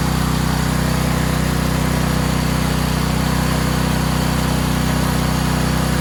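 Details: Valsi generator, push-to-start with choke, test run: steady, even engine drone with smooth low thrum and no misses or knocks; idles cleanly.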